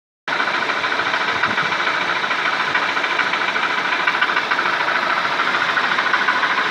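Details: Dodge/Chrysler 2.4L engine running: steady light metallic knock over idle, about two per second, from the flexplate (flywheel drive plate).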